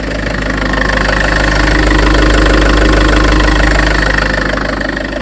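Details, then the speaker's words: Land Rover Freelander 2 after throttle body fix; smooth even idle with gentle rise and fall in level, no stumble or hunting; idling normally, fix not yet confirmed by driving. "It works anyway. It runs, but I I ain't 100% sure it's fixed obviously cuz I've got to drive it."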